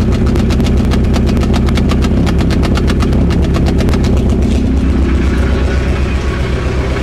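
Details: Nova Turbo with an intermittent misfire at idle: choppy idle with uneven ticking pulses about four a second, smoothing slightly as it settles.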